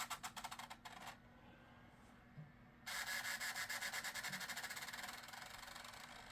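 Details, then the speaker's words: Gateway Solo 2500 laptop CD drive, which the owner says is not the healthiest, reading a CD-R restore disc possibly burned too fast: rapid uneven ticking with a hissing spin-up, seeking and failing to read cleanly. "The CD drive is not the healthiest. I don't know if it's actually working."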